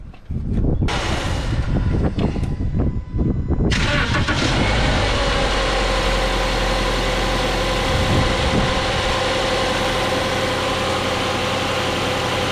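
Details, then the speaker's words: 2010 Subaru Outback just after serpentine belt replacement: starter cranks briefly, engine catches and settles into a smooth, even idle with no belt squeal or chirp. Normal idle. "Okay, so started the vehicle. Everything looks like it's all running good. It's all in the groove."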